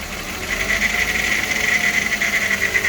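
Engine idling with a light, fast metallic chatter riding high over the running note, fitting a worn, rattling timing chain.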